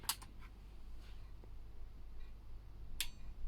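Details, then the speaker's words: Restored Aiwa AX-7600 power amp on a bench test after the relay socket was re-soldered and lifted traces bridged: a crisp output-relay click shortly after switch-on, then another, a normal relay pull-in. "there's our relay"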